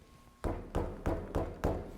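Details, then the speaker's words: Lexus GX470 wheel struck by fist: five dull thumps about a third of a second apart, each with a slight knock from up-and-down hub play, not side-to-side. This is a loose wheel bearing. "see that play it's not side to side it is up and down that's actually a loose wheel bearing"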